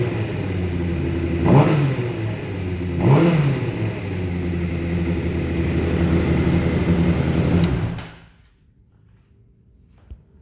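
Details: 2012 Honda CBR600RR, Yoshimura full system, 18,000 km, after limp mode, new sensors incl. non-factory-set TP sensor turned left: two blips then held high rev with coarse, uneven buzz; rough running at high rpm, owner suspects TPS needs calibration.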